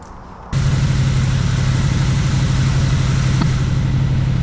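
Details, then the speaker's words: Jeep XJ with swapped 350 V8, after carb work freeing stuck throttle blades; the timing was wandering earlier, with carb backfire: an uneven, loping idle of about four pulses a second. It is likely running on only 7 cylinders and not charging. "Looks like it's not charging and that it's only running on probably 7 cylinders."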